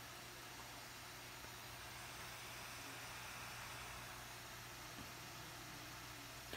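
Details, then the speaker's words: MacBook Pro 13-inch A1708, running very slowly: a steady, loud, airy roar from the cooling fan running flat out, with no change in speed. Fan stuck at full speed. "as you can hear the fan was too loud guys uh if you ever encounter like this a problem uh model a1708 fan was allowed and the device was very slow"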